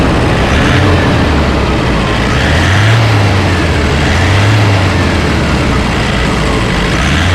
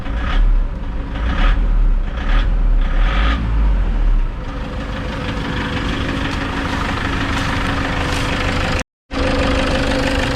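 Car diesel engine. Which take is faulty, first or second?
second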